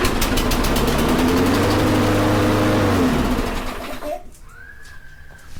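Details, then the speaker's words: Toro Recycler self-propelled mower after fixing the no-self-propel fault (the drive belt had fallen off) and re-tightening the loose spacer between the blade adapter and crank: an even, smooth drone with no knock or rattle, then a clean wind-down. Normal running. "that's much better didn't hear anything so i'm telling you shoelace was something weird"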